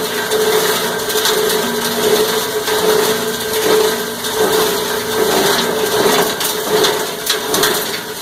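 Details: Cumberland 7.5 hp granulator, 12x12 chamber, grinding about 10 lb of stranded insulated copper wire: loud crunching and chopping over steady motor hum, surging about every second as wire loads cutters; normal operation under load.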